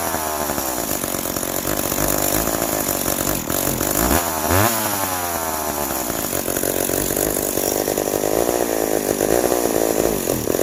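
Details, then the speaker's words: Old McCulloch 710 two-stroke chainsaw with its carburettor deliberately set out of adjustment after being well tuned. It revs raggedly, the pitch hunting and sagging instead of holding clean: carburettor out of adjustment. "Now it's out of adjustment. So you get your saw out and fire it up, and we'll go from there."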